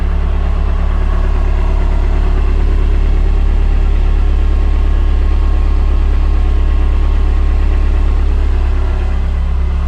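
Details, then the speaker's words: PT Cruiser after fuel pump assembly replacement, idling, microphone under the fuel tank. Only a gentle, faint even hum from the pump. Normal quiet fuel pump. "see just a gentlest little hum that's how it should be"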